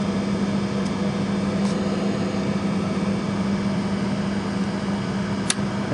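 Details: Inducer startup on a 15-ton Trane rooftop unit during a no-heat call, with an R-to-W1 jumper fitted and a multi-speed motor that starts slow. A steady, low fan hum holds even, with a faint click near the end. The inducer runs normally.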